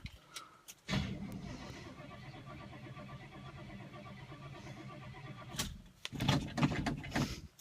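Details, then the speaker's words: Cold start of the "Sweet71" car after two weeks of rainy weather, recorded with the window open: the engine sputters and stumbles briefly, then catches into an uneven idle with a couple of blips. Owner notes it thumping a little. Hard cold start. "oh it sputtered come on there we go she's ready to go"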